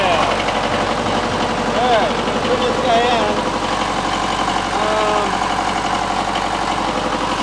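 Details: 1991 Onan MEP-003A 10 kW military diesel generator, new old stock, under 1 hour runtime, first start since 1991 after glow plug priming; steady even diesel clatter, oil pressure 45, under load; running healthy.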